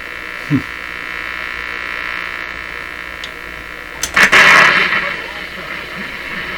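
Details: Nordmende Traviata 59 tube radio, after capacitor work, tuned on shortwave band with shortwave antenna: steady hiss and hum with low buzz, louder rushing burst as dial moves; shortwave band static noise.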